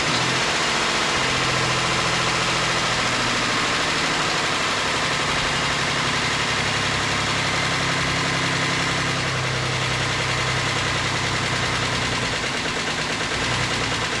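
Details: 2008 Ford Explorer, engine just reinstalled, idling: a busy, clattery rattle rides over the low hum at steady idle, revealing timing chain noise.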